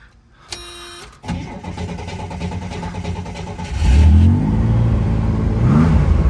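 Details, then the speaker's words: 1969 Chevy Corvair Monza coupe, restored: starter cranks briefly, engine catches quickly and settles into an even idle with a nice burble, then clean revs with no knocks, misses or exhaust smoke; healthy running. "Very smooth running car. No crazy noises or smoke coming from the exhaust. Nice little burble, nothing"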